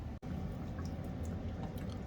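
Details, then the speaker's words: Water heater being drained through its drain valve to a floor drain before replacing the temperature and pressure relief valve: soft low gurgling and trickling as the water runs down. The tank is draining normally. "i don't know if you can hear it but you kind of hear that gurgling sound that right there means the water is trickling down"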